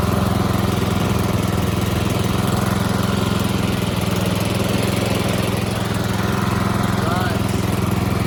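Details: Toro Z4200 TimeCutter 54" zero-turn, flooded in Hurricane Irma and parked about two years, just revived with fuel and a charged battery: steady, even low thrum with a constant beat, no misses or knocks, running cleanly.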